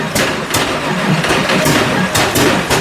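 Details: 1986 Nissan 300ZX Turbo, stored for years, first start after rebuild: rough loud running with uneven thumps about every half second, never settling. Bad misfire traced to faulty distributor; spark, injectors, sensors and vacuum checked fine.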